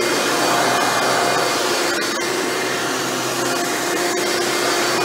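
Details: Hoover Elite upright vacuum motor after a rebuild with replaced bearings: smooth, high, steady whoosh and whine with no grinding or rattle, spinning freely and running much better than before.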